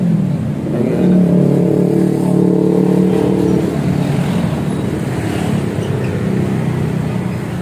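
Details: Honda Scoopy with a CMS exhaust rebuilt and repacked to change the tinny note to a mellow deep one. After refitting, a deep mellow drone swells as the throttle opens, then settles into a softer steady run. The muffler sounds healthy.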